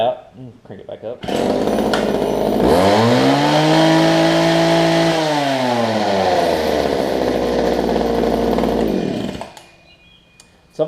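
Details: Older Homelite two-stroke hedge trimmer after fuel line, primer bulb and carb work: crisp buzz climbs in pitch, holds, drops back, firing even and clean; healthy.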